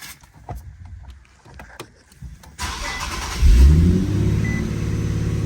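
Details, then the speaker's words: Infiniti Q60 that died on startup each morning, after a carb-cleaner cleaning fix with the idle needing to relearn; cranks briefly, catches first time, settles to a fast, steady high idle; normal start with high idle. "Wow! That's like way better. Is it supposed to be that high? Well, it's got to relearn everything."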